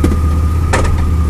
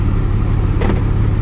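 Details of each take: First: 2002 Chevrolet Blazer at idle: one sharp metallic clunk and slight jerk shifting from reverse to drive; owner also notes drivetrain vibration on throttle changes and gear-oil leak; cause unknown. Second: 2002 Chevy Blazer with a clunk into and out of reverse, here shifting from park to drive at idle: steady low idle with no clunk or thump; this engagement is smooth and normal.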